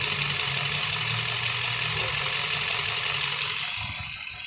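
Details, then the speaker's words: 2012 Chevrolet Spark idling. The cooling fan, which switched on near 228°F, shuts off as the temperature drops to about 219°F. Steady, even idle with a hiss as the fan noise fades. Normal. "Ok, acaba de apagarse el ventilador. ¿Ya no se escucha?"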